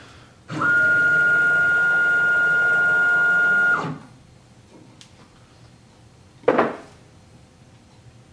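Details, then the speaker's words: Sieg X2 mill with CNC Fusion conversion, Z axis on a closed-loop NEMA 23 425 oz-in stepper, after centering the motor mount and oiling the ball screw with 68 way oil: clean, steady stepper whine with no chatter, the nicest it has sounded. Smooth Z travel. "but I will say without a doubt that that's the nicest this has ever sounded"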